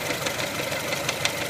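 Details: 1999 Mitsubishi Pajero iO, 4G93 four-cylinder, at idle: sharp ticking knocks every fraction of a second over the hum. Owner suspects the wobbling crankshaft pulley but is unsure. A grinding is also reported at 2.5–3k rpm when coming off throttle.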